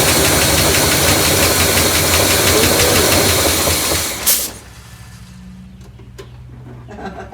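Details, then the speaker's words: Neglected 1972 Buick Riviera Boat Tail big block, parked 5–7 years, running on gas poured into the carburetor: loud, rough top-end clatter for seconds, then it dies. Oil pump hasn't caught its prime, slightly hydraulicked. Valvetrain clatter from low oil pressure. "definitely had enough in there to hydraulic it a little bit um oil pump isn't catching its prime yet"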